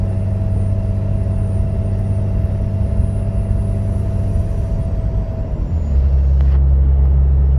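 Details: Engine-bay moan at low rpm and light throttle after replacing the idler pulley, tensioner and belt: deep steady fan-like roar from the front, with loud fan at startup and some power loss; owner suspects fan clutch.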